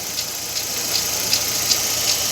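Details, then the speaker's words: Fiat Fire petrol engine idling, a car without air conditioning: light, regular rasping "rack rack" tick about 2.6 times a second from a worn timing belt tensioner bearing, which is to be replaced. "e a um pequeno barulho aqui de rolamento vocês no vídeo vai sair a rumorosidade vinho rack rack rack Zinho"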